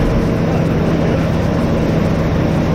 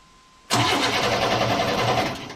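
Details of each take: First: 1988 Chevrolet S10 Sport ZQ8, sitting since 1994, after new fuel pump, tank, sending unit, hoses, rebuilt throttle body, cap, rotor, plugs and wires: steady even low drone with no misses, knocks or surges; runs and settles into a clean idle. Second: 1988 Chevrolet S10 Sport ZQ8, sitting since 1994, new battery, starter cranking in neutral: steady normal-pace cranking with no firing; air and spark present but no fuel pump heard coming on; crank no start, no fuel pump.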